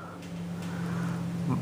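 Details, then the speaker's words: Wheel Horse 753 garden tractor with Kohler K181 single-cylinder, 100 psi compression, slight bore wear and occasional smoke, rerouted throttle cable: steady even high-speed drone, no misses or knocks; a strong runner that lifts the front end. "sounds like a strong runner it picks the front end up off the ground and I wasn't trying to"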